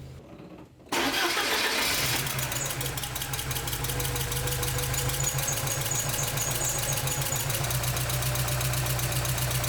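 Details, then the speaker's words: 1986 Porsche 944 Turbo (951), after replacing blown fuse 41 that caused no-start from lack of fuel pump power: brief crank, quickly catches and settles into steady even idle with no misses or knocks. Normal start and idle; no-start solved. "Well, I took the car for a spin and it runs great. Looks like we've solved our no start issue."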